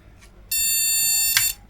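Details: Retro flea-market PC motherboard powered on without a graphics card fitted: a single long, shrill beep of about one second, no other pattern. The board is reporting a missing graphics card.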